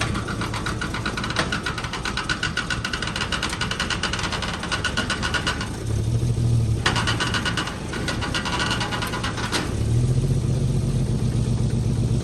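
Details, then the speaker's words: 1946 Chevy boom truck inline six, revived after 35 years sitting with water in the oil pan and two cylinders and a locked engine: steady, slightly lumpy beat with mild rev swells, no standout knock; runs pretty good. "Old girl running. I gotta say, she runs pretty good."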